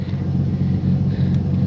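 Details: 1984 Ford F-150 abandoned in the woods since 2008, first start in ten years: deep even rumble as the truck rolls under its own power, steady and smooth with no knock or miss.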